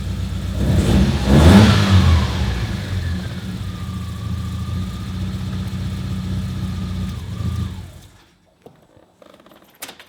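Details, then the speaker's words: Car just fitted with an exhaust-mounted igniter kit (hole drilled in exhaust, control box): blip then uneven, lumpy idle before shut-off, sounding like only three cylinders running; rough running, cause unconfirmed. "Sounds like it's only running on 3 cylinders already. Sure does. Is that what we want? Probably not."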